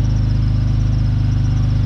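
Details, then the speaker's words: BMW 530i just after fuel filter replacement, at idle: belt audible, steady idle with fast rhythmic puffing pulsing with firing, plus a squeal; owner suspects an exhaust leak somewhere, unconfirmed. "Mais il y a un cri. On a une fuite d'échappement quelque part."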